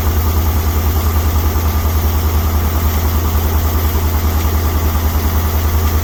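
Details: 1961 Dodge C800 truck's engine revived after years sitting, running on gas mixed with ATF and Marvel Mystery Oil, smoking and using fuel fast: deep, slightly uneven idle around three beats per second, rough from a big air leak still to be fixed.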